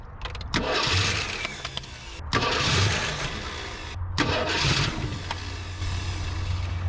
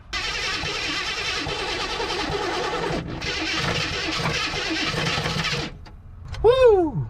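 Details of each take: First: 1974 AMC Hornet abandoned 31 years, after the starter bolts and cable were tightened and the battery hooked up: strong, quick, even cranking in repeated bursts. It does not catch, later found with the coil wire disconnected. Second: 1974 AMC Hornet abandoned 31 years, cranked on old gas: long harsh cranking with a gritty grinding crunch, getting crunchier each spin, and no catch. Owner unsure whether the starter or the engine is at fault.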